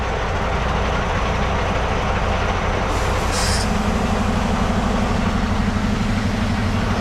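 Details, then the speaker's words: Tractor-trailer with diesel idling, foot brake held to test service side after no leaks with red button only: steady hiss of escaping air over the idle, only when service brake applied; leak appears to come from the trailer. "it sounds like it's coming from the trailer. It's only when you hit the service side brake."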